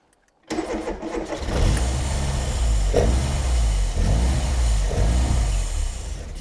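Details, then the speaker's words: Barn-find Mk1 Ford Fiesta Super Sport, parked on blocks for about 20 years, just revived: catches and settles into a lumpy, sagging idle; it dies instantly with the choke out and keeps running only while the throttle is feathered; fuelling issue, possibly blocked up. "Right, so when I pull the choke out, it dies instantly. So it's not run. It won't run on choke now. No. Right. Okay. So it's It's running on me feathering the throttle."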